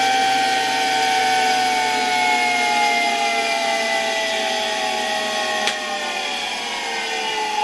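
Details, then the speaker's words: 1965 Alfa K2 vacuum cleaner, Sk-5b motor by FAWOD Wrocław, very dirty inside, run on autotransformer at slightly raised voltage: clean, steady whine sinking in pitch as it slows, quiet bearings, little brush sparking; motor runs well. "It started quite nicely. The bearings aren't making much noise, and there's not much sparking in the brushes. Overall, the motor runs quite well,"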